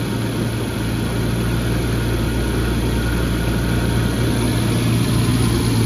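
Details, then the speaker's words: 1994 Jaguar XJ12 V12, warm garage start (not cold), engine bay running after replacing all four exhaust manifold-to-collector donuts: deep, smooth, steady idle, no puffing or ticking; previously sounded like an army tank, now smooth as butter. "It sounded like an army tank, but now it sounds smooth as butter."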